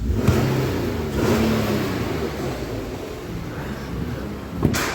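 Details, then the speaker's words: Nissan Pathfinder 4.0L VQ40DE, warmed up, after replacing the oil filter that caused a buzzing/whining from the front: engine revs smoothly with an even exhaust note and no buzz or whine; normal revving after repair. "see if the noise comes back after revving it and it sounds pretty quiet"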